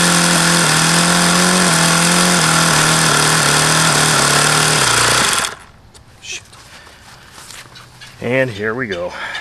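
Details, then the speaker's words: HP VT 21 rotary-valve four-stroke model engine, bought used and run about 25 times: screams at a fixed high speed and never drops to a low idle before cutting out. It won't idle below roughly 4500 rpm however lean the low-speed needle is set. "goddamn sense at all as to why it won't idle down and why it sounds like no matter how much I lean that low speed out it doesn't change it always sounds crappy it won't idle below maybe 4500"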